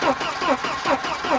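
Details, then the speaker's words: Wrecked, long-sitting Volvo 240 with B230 engine, plugs in and starting spray used: starter cranks in even pulses, about two and a half per second, never catches; compression sounds good, no spark suspected, fuel pump possibly stuck. "Sounds like it's got good compression at least. Doesn't seem like we have spark, but I know a way around that."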